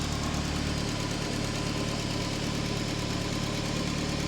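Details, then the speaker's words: Forged RS during running-in, about 72 miles, warm idle: light even ticking about three per second, injectors tapping normally, all cylinders firing, no blows; gearbox thrust bearing noise noted separately — normal idle with injector ticking. "Your injectors tapping away as they should."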